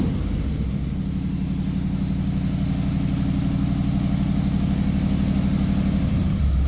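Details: 1956 Chevy race car, possibly original V8, revived after 20 years abandoned, running with timing not yet adjusted: deep steady burble at idle, even firing pulses, no knocks or misses; normal idle.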